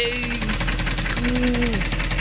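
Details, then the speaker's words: Jaguar with cheap high-mileage oil and Dura-Lube additive, idling after the additive had run a while: a steady sharp knock of about eight or nine a second keeping time with the engine, barely improved; deep internal engine knock at idle. "nope that still sounds like crap"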